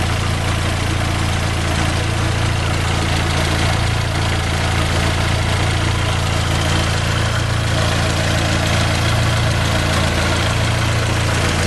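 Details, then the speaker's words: Fiat Palio 2010 1.4 8V Fire, in for a tec-tec engine noise, idling after coolant flush work: smooth, low, steady idle with an even beat and no ticking or knocking; runs perfectly. "tudo funcionando perfeitinho tudo sem por cento funcionamento Redondo tudo bacana demais sem nenhum vazamento de óleo ou de água"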